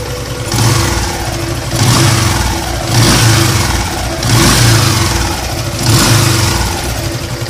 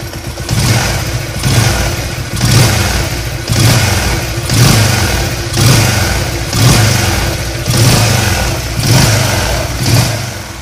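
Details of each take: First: Yamaha LC135 motorcycle engine blipped five times over idle with a coarse droning hum under each rev; rough droning noise from worn crankshaft. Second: Yamaha LC135 motorcycle, warm engine, after repair of a humming/droning and whistling noise when throttled, traced to the crankshaft: blipped about once a second, rising and falling cleanly with no drone or whistle.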